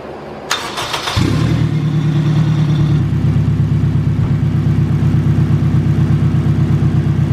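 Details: Turbocharged Acura RSX after fuel system fixes, fired up with both fuel pumps running and base fuel pressure about 55: cranks briefly, catches cleanly and settles into a steady even idle without stumbling; sounds healthy.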